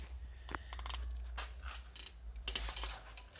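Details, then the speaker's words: MBK 51 moped pushed forward, engine off: light irregular metallic clacks and ticks as the variator catches on casing cover screw heads despite filing. "Que quand je fais avancer la mobilette, ça touche."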